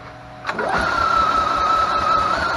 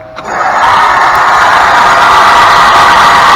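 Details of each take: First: EZGO TXT golf cart, previously sunk in a lake, cranking after a replacement starter-generator was installed and belt-tensioned: a click, then smooth steady whirring with clean even pitch, no grinding or bearing rumble, quiet as a mouse; normal. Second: EZGO golf cart that had been submerged in a pond and drained, cranking: loud steady high-pitched scream for the whole cranking, stopping when it quits; failing starter generator bearing.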